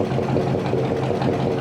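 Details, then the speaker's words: 1965 Chevy pickup V8 on an early start after reassembly, with the oil pressure gauge reading zero: an even, steady low rumble that gets quieter as it runs, with no misses or knocks. "oh yeah it's getting quieter but you're not this thing runs it runs really good"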